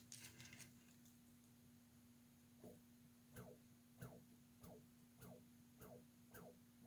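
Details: Brand-new small motor suspected of a bad bearing: faint regular ticks, about 95 a minute, over a steady low hum as it turns; ticking noise, cause unconfirmed.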